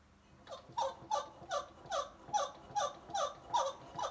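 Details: Vintage two-stroke reed valve test, engine turned over by hand with old reeds fitted without gasket: sharp hollow pops about two per second; reeds not sealing.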